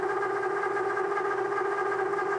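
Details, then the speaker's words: Milling hardened D2 steel (about Rockwell C20) with a 3/4 inch solid carbide endmill over an inch of engagement: steady piercing multi-tone squeal, chatter from whole-machine deflection under heavy cut. "And because this material is so hard, it's uh loud and obnoxious."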